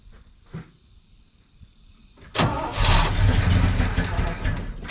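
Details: 1970 K10 truck with a 396 big block from a 1971 Chevelle, revived after sitting, fuel tank cleaned but bad gas likely still in line, float bowl being filled: long steady cranking about three and a half beats a second, never fires.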